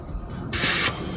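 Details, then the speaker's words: Tire being mounted at home on a 1936 Ford pickup hot rod wheel, being inflated with air: a sharp burst of hiss as the bead pops and seats normally. "This one right here is fixing to pop in just a second, and that's letting me know that the bead's seated. There you go, the bead's seated."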